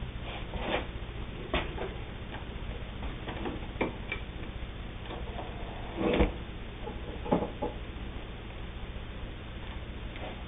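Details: Singer 99 all-steel three-quarter size sewing machine running: quiet, light mechanical ticking with a soft steady low hum, no knocks or grinding; running smoothly and healthy.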